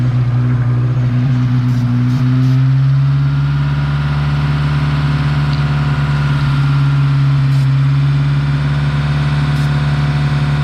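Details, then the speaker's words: 1986 Honda Civic cold start: strong steady drone with raised cold idle, settling slightly, choke working; vacuum leaks being checked with ether, broken vacuum block line plugged; leak not obvious by ear. "i get that to stop but from what it looks like right now the choke is working and uh i'm allowing the car to idle up so it's because it's cold"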